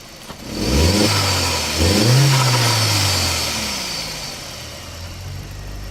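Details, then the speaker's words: MK4 Jetta with a newly installed aftermarket diverter valve, engine blipped twice with a soft airy rush on each lift-off; valve vents but owner is unsure whether it opens enough. Cause suspected, not confirmed. "I can kind of hear it I'm not sure whether it should open up more"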